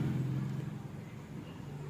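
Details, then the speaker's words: Rewound Kirloskar three-phase 2 hp motor, coil size 126, test-run on a starter and drawing under 5 amps; smooth, steady low drone with no humming, growl or knock; normal after rewinding. "தெரியுதுங்களா coming sound எதுவும் இல்லாம ஓடும் friends"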